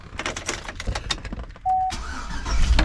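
About a second of quick even cranking beats, then the engine catches cleanly and settles into a steady idle; healthy start.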